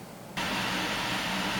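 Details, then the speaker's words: Fan right after power restored following a 2–3 hour outage caused by a shorted substation regulator, line voltage measured around 130 V: loud hissy rush with thin high whine, fan screaming, overspeed from overvoltage. "okay so our power came back on and here's something rather interesting you hear my wio fan listen to it it's it's really is screaming"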